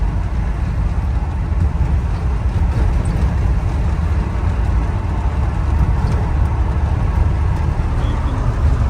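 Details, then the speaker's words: Volkswagen Vanagon stock original 2.1L water-cooled boxer, cold, driving on wet road: heavy low drumming with uneven lumpy pulse, idling rough and shuddering, whole van shaking; misfire, cause unknown. "but idling really rough doesn't want to go it's shuttering not quite sure what the problem is"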